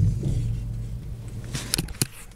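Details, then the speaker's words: Car front end while turning the steering wheel left and right: low rumble then sharp clunks. "عندنا صوت آخر طبعا نسمعوه مع بعضنا، نسمعوه معي مليح. الصوت عندما ندور يمين ويسار الفولون،"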